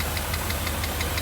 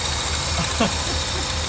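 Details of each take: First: 1982 Mercedes 380SL V8, warm idle after installing a new pre-oiled timing chain tensioner: light, sharp ticks about six a second ride over a steady idle. A top-end tap on the passenger side; cause unknown. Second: 1982 Mercedes 380SL after new timing chain tensioner (pre-loaded with oil) installed, long unused: steady even idle, smooth low rumble, no ticking or front rattle; quiet, great oil pressure, oil smoke boiling off exhaust from valve cover work.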